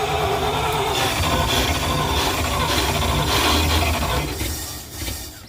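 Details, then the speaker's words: 1971 Dodge A500 ex-Air Force dump truck, reportedly 318 V8, cranked while the distributor and ignition timing were being adjusted: a harsh, rough grinding rattle rides over the cranking for seconds, then fades, suggesting the starter is engaging badly, though the cause is unconfirmed. "Whoa. God, that's a terrible sound."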